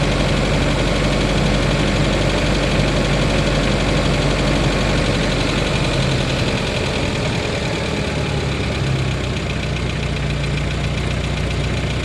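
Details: 1993 Geo Tracker at idle: rough idle with a dull, somewhat uneven knock beneath the engine note; owner suspects rod knock and wants second opinions before pulling the motor; possibly bottom-end wear, unconfirmed.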